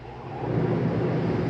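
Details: 2022 Flagstaff Microlite 25FBLS travel trailer rooftop AC switched on at the thermostat: a low fan roar swells over half a second, then settles into an even, steady rumble, a normal AC startup.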